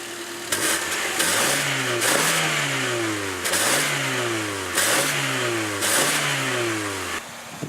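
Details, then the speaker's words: 1994 Toyota Celica on stock exhaust, highway-mile car: clean repeated rev blips rising and falling smoothly from a steady idle, no knocks or misses; healthy four-cylinder. "It does have the stock exhaust right now. I'll do a couple rev clips, but I don't think it's gonna be too loud."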